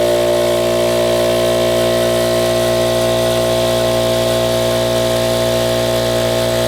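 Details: Ridgid air compressor (donor unit) building pressure to 160 psi; loud, steady motor-and-pump drone at even pitch throughout; reported pop-off valve issue but it runs up normally.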